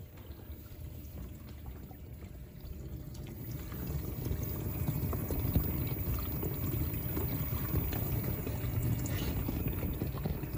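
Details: LG dishwasher circulation pump after a DIY bearing replacement: steady low churning hum with water sloshing, settling into an even rumble as it fills; it runs normally. The replacement bearing later failed, apparently through a faulty seal.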